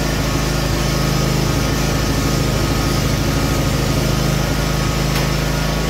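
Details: Cub Cadet RZT-50 zero-turn mower engine after crankshaft seal replacement and new aftermarket carburetor (original freeze-damaged), unused for years: steady even drone at constant speed, no knocks, misses or surging; running normally.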